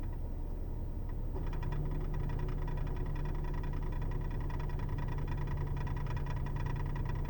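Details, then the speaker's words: 2008 Ford Taurus X, 160,000 miles, at idle: faint quick even ticking behind left of instrument cluster, louder with AC compressor on; owner suspects transmission, clunkier in L, not confirmed. "you don't really notice it when you don't notice it at all when you're driving actually you only hear it when you're sitting at idle"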